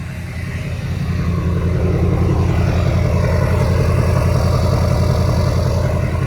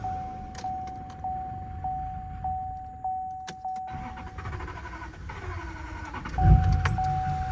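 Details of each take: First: LML Duramax diesel truck, owner's first diesel, restarted after fuel filter housing replacement; deep, even diesel clatter settling into a smooth, steady rumble with no knocks or misses, running normally and sounding healthy. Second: LML Duramax diesel restarting: slow cranking pulses about every 0.6 s, then a sudden loud surge on sprayed brake cleaner, nearly running away; more cranking alone might have sufficed.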